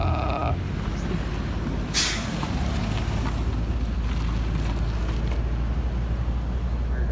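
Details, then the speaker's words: Honda K20A2 engine at first start after the swap, in the microphone's hearing a low, even rumble with a steady beat and no knocks or squeals; smooth normal idle, though a possible O2 sensor fault or bad relay is suspected. "awk that sounds good"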